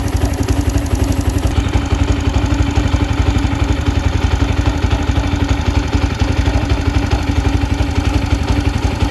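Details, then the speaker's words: Yamaha Jupiter Z1 engine, modified/upspec with standard exhaust, idling after replacing manual AH1 tensioner and cam chain: steady beat with slight ticking not from the cam chain, quieter than when the chain was slack; normal idle. "Ya namanya motor udah nggak standar, jadi ya kayak gini ya, bunyinya ada sedikit ngelitik, tapi ngelitiknya itu bukan ngelitik dari rantai ketengnya gitu."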